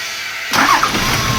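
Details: Toyota Land Cruiser 70 series diesel, previously crank-no-start, after new 24 V fuel shutoff valve fitted: quiet, then cranks and catches within half a second, settling to steady even idle; starts cleanly, fixed.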